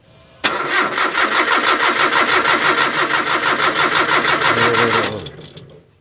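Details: Nissan Terrano (carbureted) being tested with power run straight from the battery during fuel pump replacement, the old pump too weak to push fuel: starter turns the engine steadily, about three beats a second, for roughly 4.5 seconds, even compression.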